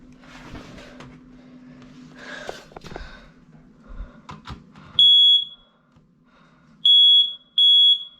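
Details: Monthly home test of the upstairs office smoke alarm: some handling noise, then loud piercing high-pitched beeps in a repeating pattern; the alarm sounds correctly on test.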